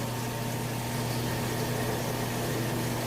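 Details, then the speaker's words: LG washer/dryer combo after replacing a defective drain pump, tested on rinse and spin mode. Even, steady low hum from pump and drum with no grinding or knocking. Normal rinse cycle. "I'm just on a rinse and spin mode. So I think we'll know in a couple minutes if it's all worked out good."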